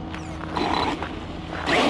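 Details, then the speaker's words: ARRMA Mojave 4S RC truck: two short strained buzzing bursts as the steering servo fights a servo saver stuck to one side by sand; steering jammed. "no steering right now I lost steering it feels like the servo saver stripped yep it was stuck the servo saver was stuck to one side because of that sand"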